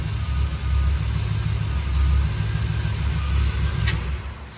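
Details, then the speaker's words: Cabover truck 454 V8 with rebuilt fuel-injection throttle body and replaced fuel pump: lumpy, uneven idle that surges and dips irregularly. Spark plugs are completely fouled and some plug wires are suspect; cause not confirmed. "It's running really rough, but the spark plugs are completely fouled now, and I do have a couple problem child wire plug wires that probably need to be addressed."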